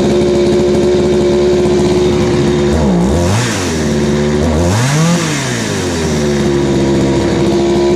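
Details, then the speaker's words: Craftsman 3.7/Poulan 3700 two-stroke chainsaw just fitted with a new eBay carburetor and fuel line: fast, high-pitched idle that sags and wobbles when the throttle is blipped instead of revving cleanly. It bogs on acceleration, and the carburetor needs L/H/idle screw adjustment. "all right so so it's running but it's not very quite right so when you give it gas it was kind of bogging out plus the idle was high"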